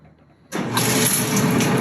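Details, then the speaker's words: Whirlpool dryer after repair and fresh grease: motor kicks in and settles into an even steady hum, with no grinding, bumping or thumping from the drum; wheels running smooth, normal running. "as you can see i don't hear any weird sounds no grinding sounds no bumping sounds once again that grease is very very good"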